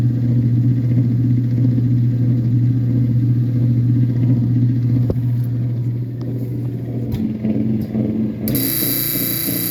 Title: loud buzzing noise on high speed agitation only.